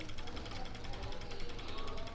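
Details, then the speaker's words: Bajaj Discover 100cc after engine rebuild with new piston, head, timing chain and clutch plates, idling: light quick even ticking knock over the engine note, not tappets; worn piston knock, boring suspected inadequate, left unrepaired. "Piston स्वयं आवाज आएगी। यह ध्वनि देख रहे। दस्तक कर रहा है।"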